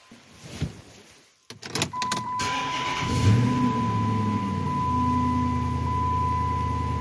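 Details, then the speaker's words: 2006 Chrysler 300 idling right after a new serpentine belt was installed, for a loud squeal on cold startups: it settles to a steady even idle with no chirp or squeal, and the belt tracks correctly. A cold-start check is still pending. "good to me. I'm not hearing any weird noises. We're gonna have to let it sit overnight, and then tomorrow I'll check it and see if we have a squeal. The belt looks to be tracking correctly."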